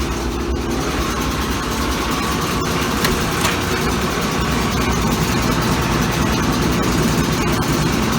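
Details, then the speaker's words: Old Kenmore Laundry Center top-load washer, regular cycle, cold/cold water, large water level, washing a load of clothes: loud, steady rumble with rough, uneven churning and shaking through the spin; cause unclear. "I'll just let you hear how loud this thing, because it's shaking and getting noisy. You can hear how noisy this thing is."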